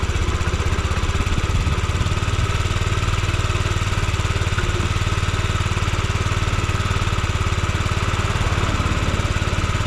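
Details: Yamaha Gear scooter (UA08A-0315) running check: small single-cylinder at steady, even idle about three or four beats a second, no knocks or rattles; quiet, healthy engine.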